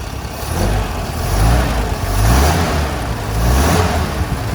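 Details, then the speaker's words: Unrestored 28k-mile 1969 Toyota FJ40 Land Cruiser just started cold without choke, after valve adjustment, carburetor rebuild and exhaust leak repair: smooth idle, clean rise through throttle blips and settles back without misses or knocks; normal idle and revving. "When I bought it, it had needed a valve adjustment, had the exhaust leak, and all that kind of stuff. So now she's just tight and smooth. Great running truck."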